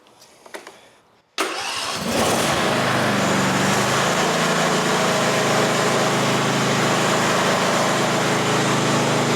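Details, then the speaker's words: Riding mower just converted from a plastic to a metal Tuff Torq transmission: quiet, then a quick crank and catch that settles into a steady, even idle. It is a normal, clean start and healthy running. "Woo! Woo! Woo! Yeah, it works."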